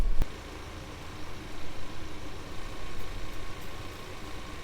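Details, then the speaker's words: Abandoned Ford Thunderbird pulled from near Amarillo, about seven gallons in tank: steady cranking churn that never catches or fires; a fuel pressure check then shows zero fuel pressure, so it won't start. "well there's our problem there's no fuel pressure so no matter how much we crank on it she's just not gonna go until we figure out why there's no fuel pressure"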